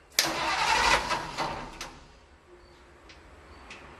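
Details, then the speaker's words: 1948 Ford F-5 truck, cold start after sitting unrun for over a year: the starter spins about 1.5 seconds without catching, then silence; no start, and the owner suspects the fuel pump isn't pumping because it didn't kick on at the switch. "Seemed like I would have heard the fuel pump kick on, but hey, who knows? I think maybe I better find out why this fuel pump isn't pumping, because when I turned that switch on, that should have kicked on."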